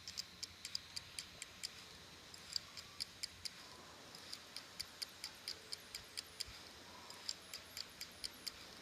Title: HD Samsung ST1000LM024 Danificado / Damaged / Clicking Noise